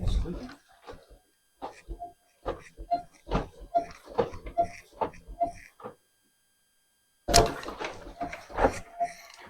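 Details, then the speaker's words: 2024 Harley-Davidson Street Glide on a stand, front end pumped: uneven squeaks about once a second from front suspension; owner suspects fork spring inside fork tube, unconfirmed. "yeah does anybody else just squeak like that and did you do anything about it what did Harley say about it"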